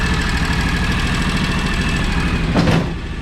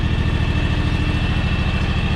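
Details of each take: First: 15+ year old, high-hours John Deere X729 lawn tractor after full service that cured its running-hot issues: steady even low idle with smooth beat, no knocks or misses; runs clean and healthy. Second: 15+ year old, high-hours John Deere X729 lawn tractor before service, warming up for an oil change: steady low idle with uneven pulse, beats dropping out; missing at idle, owner suspects a clogged carburetor.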